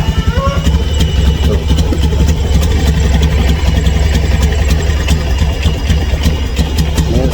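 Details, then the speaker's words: Honda single-cylinder motorcycle idling after fuel filter, injector filter and fuel pump replaced: loud chattering, uneven idle with mechanical clatter above it, feels weak and heavy; noisy rough idle, cause unknown. "Kalau saya kadet terdengar suara berisik kayak gini."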